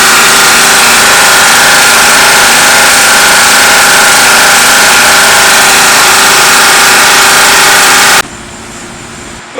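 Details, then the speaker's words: Old air-cooled lawnmower engine with worn pistons and rings, low compression, burning oil, running on old 10W-30 before switch to straight 50 weight: fast, steady rattly running with a faint regular knock and smoke; cause suspected, not confirmed. "Well, I can hear it knocking and smoking."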